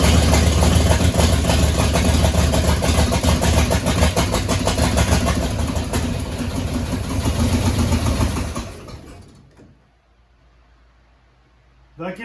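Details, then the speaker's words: 1967 Mustang C-code 289 V8 with four-speed: rough idle for about nine seconds, then fades and stalls, followed by a brief crank; no fuel coming up, owner suspects a bad fuel pump. "no gas out of the uh out of this though it should have had gas by now so I'm thinking fuel pump's bad yeah there's no fuel coming up"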